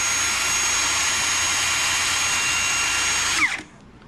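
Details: Ridgid R86211 18V Octane impact wrench with an intermittent slow-speed fault, here on a new battery: a steady high-pitched whir holds constant speed for over three seconds, then winds down cleanly; it is running normally at full speed.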